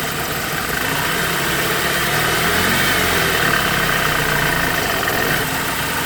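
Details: BMW E90 engine running with a thin, steady high whine over it and no knocking. Belts and bearings are being checked as the possible source, but the cause is not confirmed.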